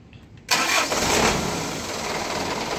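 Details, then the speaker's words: Car that would not start mornings without push or jump, after fitting a new battery: brief crank, then the engine catches at once and settles into steady idle; old battery was weak. "Ini udah hidup ya. Jadi karena tadi akinya swa."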